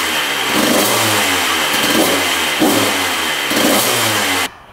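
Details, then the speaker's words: 1994 Honda CR125 two-stroke after the repair, with zero leaking at the cylinder: sharp, crisp rises in pitch on each blip that fall back cleanly, no bogging or hesitation. Throttle response is much better and it seems fixed. "right that sounds much better you can see the Thal response is much better so I think this one's fixed"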